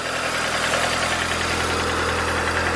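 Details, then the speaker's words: Mazda Miata with a Toyota 4A-GE 20-valve individual throttle body kit, idling: uneven, lumpy pulse under a busy intake hiss; rough idle because the throttle bodies are unsynchronized, before balancing. "so when you're starting your engine it might be completely out of whack so friends if this one closed that one open"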